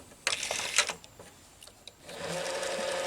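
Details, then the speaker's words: Late-1980s Quasar VH5471-K VCR (Panasonic mechanism), bottom cover off, pressing fast-forward: sharp clicks then the capstan motor spins up to a steady hum; it starts only sometimes, suspected speed-control fault in the capstan motor. "the capstan model was not turning when I press fast-forward it turns sometimes and sometimes not now I just press fast-forward and it started turning"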